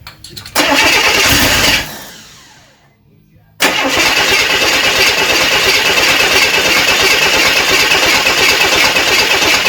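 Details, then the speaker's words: Rebuilt 230 six-cylinder cranking while setting timing; starter turns it over in steady bursts, never coughs; crank no-start, ignition timing too retarded. "all right uh we were trying to dial in the timing and it didn't even cough so we were double checking everything we did have the distributor in right"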